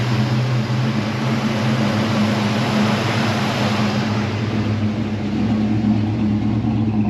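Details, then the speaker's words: 1977 Chevy Nova Concours V8 after tune-up (plugs, wires, cap, rotor, oil, transmission fluid found 2 quarts low): steady, even idle, low drone, no knocks or misses; owner thinks idle screw maybe needs slight adjustment. Normal idle. "Maybe the idle screw can be adjusted a little, maybe."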